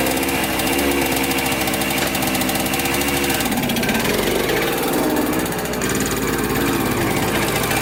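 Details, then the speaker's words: 1996 Yamaha Blaster 200 two-stroke quad, said to be just rebuilt, at full throttle: buzzy note sags and stumbles instead of climbing, smokes heavily, super boggy with no power. "i was going full throttle around in that circle so obviously something's not right it's super boggy has zero power"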